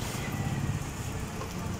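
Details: Honda Spacy fuel-injected scooter: low, uneven putter that stumbles and won't rev, no power, O2 sensor reading low; clogged fuel injector starving the engine.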